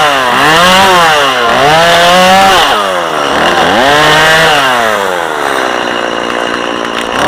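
Saw revs up cleanly into each cut, pitch dipping under load and recovering crisply; strong, healthy running engine.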